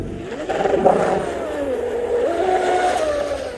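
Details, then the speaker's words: Upgraded Pro Boat UL-19 30" hydroplane, Castle Creations Hydra ESC, first run after rebuild on SMC packs: high motor whine sags in pitch for about a second mid-run at full throttle, then climbs back; a power cut of some kind. "gonna try to get it closer so I can listen to it it sounds like a power cut which it is a power cut of some kind"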